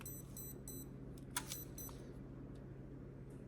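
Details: Hobbywing Quicrun Mini24 ESC and motor installed in an Ascent18 micro crawler, throttle calibration: three quick high beeps over a low electrical hum confirm the throttle endpoints are set.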